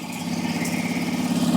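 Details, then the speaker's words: Suzuki 2.5 hp outboard, cold first start after winter lay-up on fresh E5 petrol, neutral, a little choke; small single putters at fast even beat, firming as it settles; normal idle. "that that's both engines started up and the fired up okay so I'm pleased with that"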